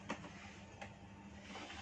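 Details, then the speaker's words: Electric fan that hums when switched on but motor won't turn, blades already removed and shaft very stiff: only a faint steady electrical hum, no blade whoosh; motor powered but shaft seized. "ค่ะวันนี้เราก็มาส่งพัดลมสักตัวครับคือพอดีทีมงานใบพัดลมมาให้ลงเท่ห์ปัญหาดูราก็มันก็คือเวลาเราเปิดswitchจะเปิดมันก็จะดังเหมือนกับว่าไฟไฟเข้าไปแต่ว่ามอเตอร์ไม่หมุนครับ"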